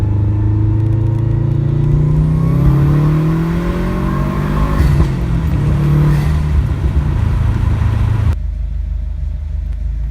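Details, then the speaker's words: 2011 Subaru WRX accelerating after fixing a cylinder 1 misfire code thrown under boost, hitting 19 psi boost: smooth deep pull rising steadily in pitch through the gears, even without stumble or popping; healthy engine. "Now I'll get a little pull going here, and we'll see if it pops another code, but right now it seems to be doing alright, so let's see what happens."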